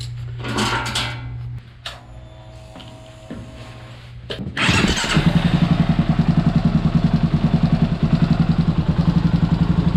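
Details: 2023 Kawasaki KLR, 800 miles, warm engine after a ride, started after its first oil and filter change with 10W40 full synthetic: after handling noises the single fires and settles into a steady, even thumping idle with no knocks, ticks or leaks.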